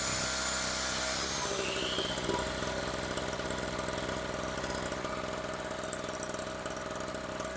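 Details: Storm Cat 700W two-stroke 63cc generator after repair, run on 40:1 fuel mix (spec 50:1), a little smoky: buzzing along at a steady, even pace with a busy high rasp and no surging or stumbling; running fine now.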